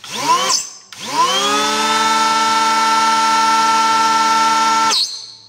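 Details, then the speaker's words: Makita DKP180 cordless planer after a blade change, run on battery: the motor spins up to a steady high squeal that holds, then fades at shutdown. A worn part, likely in the drive, needs replacing eventually. "Ja, der Hobler quietscht, das ist jetzt der Curium, der gehört dann irgendwann einmal ausgewechselt."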